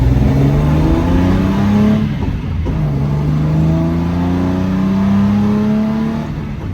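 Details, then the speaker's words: After rebuilding the Solex Mikuni Type R carburetors and adding a return spring: the engine pulls cleanly, pitch climbing smoothly through each gear, with no stumble or throttle hang and a good idle. "I think we can call that a success. No stumbling, which is good. No throttle hang."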